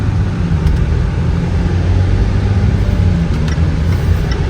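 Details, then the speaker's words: 2020 Range Rover Evoque L551 with AJ20P4 2.0 L petrol engine, driving on the road after a misfire repair: steady low engine drone under road and wind noise, no stumble or miss; normal running, the vehicle is back to life. "So everything is working right now. The vehicle is back to life."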